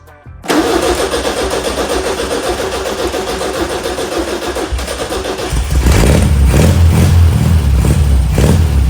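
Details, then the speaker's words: 1973 VW Super Beetle 1303 after 15 years sitting outside, carb small screw set 2.5 turns out: cranks briefly, catches into a steady chugging run and revs cleanly with an even beat; running normally. "This engine is actually not trash. First of all, I thought that it will be full of water. Second of all, I thought that it will be super hard to start it after this whole time outside."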